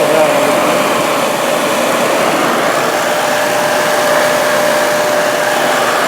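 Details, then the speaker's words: Used 1998 Workforce 8-inch bench grinder, 120 V 5 A, with wire brush and stone wheels, on a 20 A outlet: smooth, constant motor hum and wheel whir, no rattle, wobble or scraping; normal running. "1998 hey it still works good things are probably even built built better back then"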